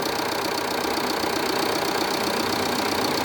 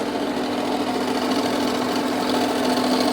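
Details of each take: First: Jeep Renegade 2.0 MultiJet diesel after repair of engine noise, previously a deep growling drone: now a smooth, even, steady idle with light regular patter and no whine, rattle or knock. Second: Jeep Renegade 2.0 Multijet diesel with an engine noise. A steady rapid clatter, about three knocks a second, over the idle, seemingly from the accessory belt area; the cause is unconfirmed, and belt removal is planned to isolate it.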